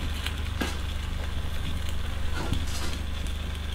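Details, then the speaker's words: Vintage oil-filled arc welder transformer after washing its insides, idling on generator, draw peaking at 1,100 W then dropping: deep hum with soft fizzing, crackling bubbling as damp windings heat up and boil off moisture. "Right. We peaked at 1100 over there and now it's dropping. Yeah, it's dropping quite sharply. So, I guess the windings are drying out. A lot less heat coming off of the windings now."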